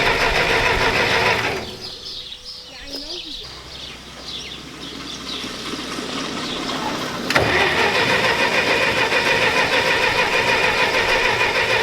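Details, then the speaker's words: Massey Ferguson 65 tractor with dirty carburettor, needing a kit: engine sputters and fades almost to nothing, then catches again; carburettor flooding and running rich, nearly stalling. "now we gotta work on it from not flooding out obviously now"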